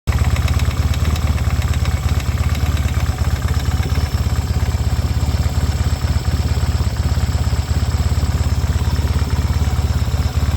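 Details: 1972 Yamaha XS2 650 twin, about 10,000 miles, cam chain tightened and valves set to spec: steady, low, uneven knock at idle about three a second, only when upright on the center stand, none on the sidestand.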